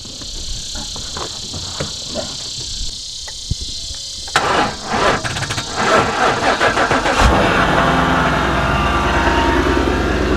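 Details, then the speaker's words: 2017 Ford Mustang GT Premium, 5.0 L Coyote V8 about 435 hp, wrecked front end, with hidden mods, heard from behind: cranks briefly, fires into a deep throaty idle and blips cleanly, loud exhaust, no stumble or knock; normal cold start and rev. "Oh my god, it sounds so mean."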